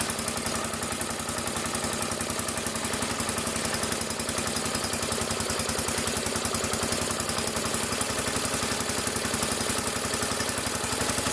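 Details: Massey Ferguson 14 garden tractor, Kohler K321 single-cylinder, after carburetor repair: even, steady idle with no more pops or backfires from the exhaust; choke and throttle working. Normal idle.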